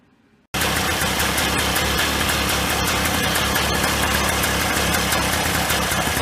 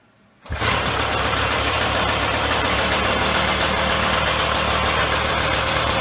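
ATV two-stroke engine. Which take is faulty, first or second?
first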